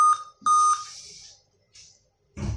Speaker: You can hear the beep sound, the continuous beep sound